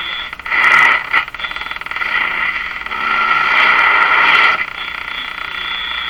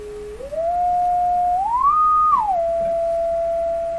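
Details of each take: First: Electrohome Cosmic tube radio speaker testing: rough fluttering hiss that swells and fades irregularly, sounding like engine noise but not; electrical interference heard often in the shop, cause unknown. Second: Electrohome Cosmic tube radio speaker driven by a signal generator to check for distortion: a single clean tone glides up, holds, then drops, with no buzz, rattle or crackle. Speaker output normal.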